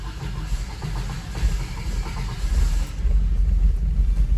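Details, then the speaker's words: 1989 Toyota 4Runner 22RE with intermittent click-no-start, starting after repeated key tries: deep, lumpy idle stumbling and surging unevenly; running really rough, flooded as the cold start injector dumped fuel during repeated cranking. "so as you heard it was running really really rough so that kind of shows you guys the issue that I've been having"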